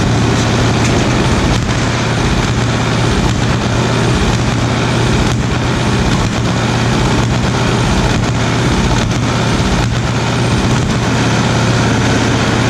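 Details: 1936 Caterpillar RD7 diesel, first start after pony starting engine rebuilt: steady low even chug with constant beat, no knocks or misses, idling smoothly; normal diesel idle.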